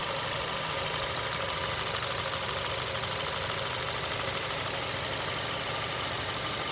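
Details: 2021 Kia K5 four-cylinder GDI turbo, 46,853 miles: light, fast ticking knock about two per second over a hissy, even engine note, noticed when accelerating and moving; owner unsure if normal for Kia engines; cause unknown.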